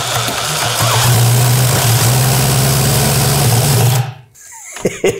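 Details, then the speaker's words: Holy Star moped two-stroke engine reassembled after overhaul (earlier overheated and melted internally, now propeller cooling added), fuel tank repaired; steady even buzz about four seconds then cuts out; normal running. "Oui! Il marche à nouveau. C'est une super boîte, je deviens fou."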